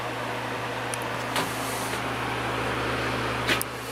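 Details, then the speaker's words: Patton U2-1272 12-inch fan with 1.3 A rated motor on low: steady low hum with soft even whoosh, no rattle or grinding; very strong, drawing 0.74 A and 60 W. "very strong for a 12in fan 74 amps and 60 WTS on"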